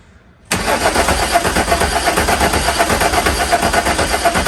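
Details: VW Mk2 Jetta with swapped VR6, cranking after fitting brand new injectors and a used starter; cranks hard at a steady chug, about three beats a second, never fires; crank no start caused by a fuse-box plug left unplugged.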